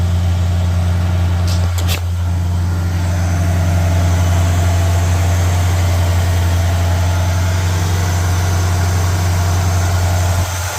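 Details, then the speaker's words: 1985 Mercury Marquis police interceptor with rebuilt 351W V8 (base timing 12°, max advance 36°, mufflers) at fast idle during cam break-in: steady, even low rumble, no knocks or misses; new cam not very lopey. Normal high idle. "It is the cam's not very lopey. It should still be better than the factory one. But it sounds good."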